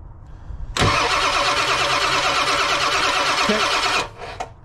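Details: OBS Ford 7.3 Powerstroke with code P1211, HPOP test: one oil line blocked, IPR on 12 V, cranked five seconds reaching about 3500 psi; steady, even cranking with no catches or stumbles; pump side building normal pressure.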